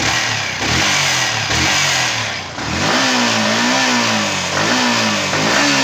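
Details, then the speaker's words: Yamaha R15 V3 BS6, about 8000 km, after rocker arm replacement and clearance set to cure top-end noise: crisp revs rising and falling cleanly with no ticking from the head; normal running, good pickup, no stalling. "இப்ப ஃபைனலா நம்ம harass பண்ண problem வந்து solve ஆயிடுச்சு நீங்களே check பண்ணிக்கோங்க நான் first வந்த நாய்ஸ் சவுண்டும் போடுறேன் இப்ப ரெடி பண்ணிட்ட அப்புறம் வர நாய்ஸ் ஒன்னும் போடுறேன் எல்லாமே கரெக்டா இருக்குது"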